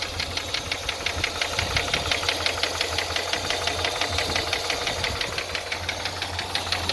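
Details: Toyota 5VZ-FE engine at idle: sharp metallic knock near three per second, steady and regular, from the bottom end; connecting rod knock suspected, not confirmed.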